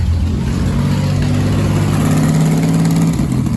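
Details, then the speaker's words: 1987 Pontiac Fiero 2.8L V6 after fitting a belt slip eliminator pulley; alternator voltage is good. Loud, raspy idle with a hard, open bark over a low hum: exhaust manifold leak at cylinder six, which has no bolts. "sounds like a race car number six cylinder has no bolts and a mandible there but look at her go"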